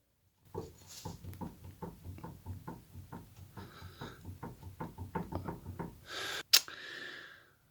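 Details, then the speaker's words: Classic Mini rebuild, rear suspension trailing arm rocked by hand: sharp metallic knocks about three a second, likely play in the bearing, after a fitting mishap. "bearing at the back has no play in the copper bush"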